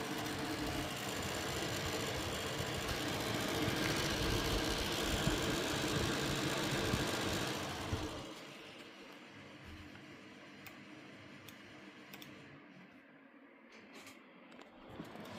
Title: Gigabyte 7900xt - fan grinding sound ( 2 months old )